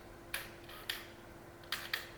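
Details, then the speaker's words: TBI engine, ECU power valve reset triggered from the ERM diagnostics screen, ECU relearning lower and upper positions: sharp mechanical clicks as the power valve moves up and down over a faint hum, then the fuel pump spins at the end; normal reset. "So you can hear quite easily the power valve moving up and down there, and at the end you can hear the fuel pump spin."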